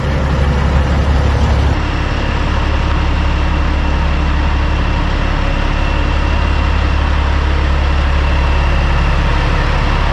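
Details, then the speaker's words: 2004 Kenworth W900L project truck with CAT C-15 diesel, just started before being brought into the shop: deep, even rumble holding a steady idle, no knocks or misses; normal idle. "so we got her started but uh didn't get it on film so that's unfortunate but also the way she goes but she is running sounds good just like she should"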